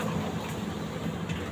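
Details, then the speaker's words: LG 15 kg washing machine that had smoked: drum turns with low, rough rumbling churn and uneven drone; drum bearing has play, possibly overheated from heavy load. "Ini kalaupun muter pasti kasar banget ini suaranya nih."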